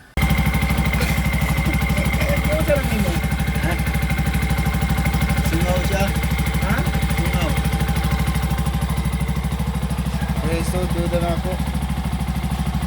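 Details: Bajaj RE fuel-injected engine after tightening the leaking throttle-body rubber/lock, which had made it die when the accelerator was released; steady, even low putter about three beats a second, holds without dying, healthy idle.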